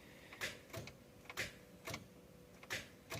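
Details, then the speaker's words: Toyota Corolla Grande Altis 16-valve engine, battery 11.9 V, won't start: repeated pairs of dry starter solenoid clicks with no cranking. Starter gets signal and continuity, but the starter motor is faulty. "यह देख रहे हैं friends यह जो है ना इसी तरह की सिचुएशन कर रही है कटक कटक कर रही है लेकिन गाड़ी जो है व सल्फ नहीं उठा रही"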